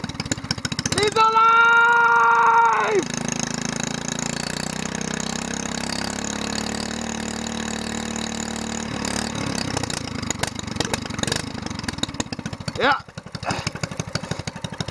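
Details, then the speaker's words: Single-cylinder mud motor (SPS longtail surface drive), first start of 2015 after winter storage under the boat: primed and choked, it cranks, catches with a little smoke and settles into a steady, even idle with no misses or knocks, sounding almost like a four-wheeler; running normally. "Almost sounds like a four-wheeler. He's alive!"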